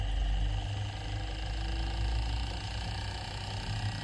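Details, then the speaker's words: Inverter AC (Onida/Lloyd/Whirlpool) test after PCB repair, indoor and outdoor DC fan motors running: low, steady compressor hum with faint constant tone, no rattles or knocking; compressor running normally. "आप compressor की आवाज सुन सकते हैं। हमारा compressor अभी चल रहा है, और हमारी बाहरी मोटर भी चल रही है।"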